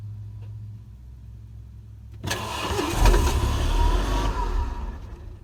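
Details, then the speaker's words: Renault Megane RS Cup 225 after installing a new eBay fuel pump assembly (3.5 bar regulator): low quiet hum, then engine cranks, catches about two seconds in and revs briefly, cranked without idling to prime the new pump. "Just trying to prime the pump kind of here, so I'm just turning it over and trying not to let it idle straight away at the moment."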